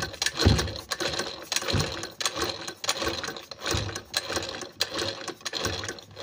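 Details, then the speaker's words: Sewing machine run slowly with the face plate open gives a sharp tak-tak knock each turn as the needle strikes the shuttle; removing the needle stopped this knock. "कभी-कभी क्या होता है कि यहां पे यह जो needle है नीडल यह टच करता है सेटल में यह लड़ के चलता है इसकी वजह से भी आपकी मशीन टक टक से आवाज करती है"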